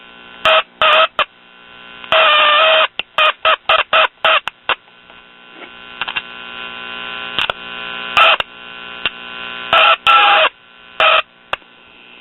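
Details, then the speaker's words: Late-1950s Londala Japanese tube radio, loud howling squeal bursts over a low hum as resistor and parts under the chassis are prodded; intermittent squeal and hum when touched, loose connection suspected, speaker also possibly damaged. "heck just about everything under here i touch it screams in pain"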